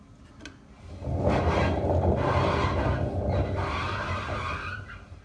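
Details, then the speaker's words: Indesit washing machine drum spun by hand with the belt removed gives a coarse, gravelly rumble that swells and dies away: a worn drum bearing. "that's the belt off and what we can demonstrate now is just by giving that a spin lock you'll listen certainly one noisy bearing is that"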